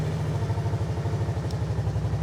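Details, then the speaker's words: 2008 Kawasaki Brute Force 750i V-twin ATV, out of gear with secondary clutch belt adjusted too tight, radiator fan not kicking on: even, steady low pulsing idle with no squeal; normal idle before putting it in gear. "sounds pretty good right everything's normal"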